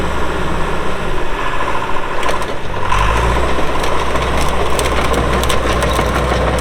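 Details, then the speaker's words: 2001 John Deere 450H LGP dozer, 9,548 hours, starting: the diesel fires promptly and settles to a steady, even idle rumble with no knocks or stumbles and no excessive smoking; a healthy start. "Engine sounds good, starts right up, no excessive smoking."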